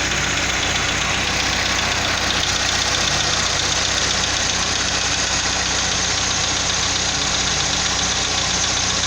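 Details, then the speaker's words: 2005 Chevrolet Astra 2.0 8v on CNG, 169,000 km, 20W50 oil: quick even ticking about four per second at idle on first cold start of the day, fading as it warms; owner suspects lifters, camshaft or sludge. "Então isso só acontece na primeira ligada do motor durante o dia, tá? Quando eu ligo ele pela primeira vez, ele fica com esse barulho. Durante o dia ele já não faz mais."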